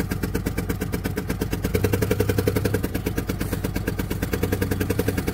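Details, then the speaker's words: Fast steady tick over a rough, lumpy idle on a running engine showing low coolant and service engine soon lights; head possibly cracked or busted, cause suspected, not confirmed; does not sound healthy. "But as y'all can see, it does run. It don't sound real healthy. But it does run."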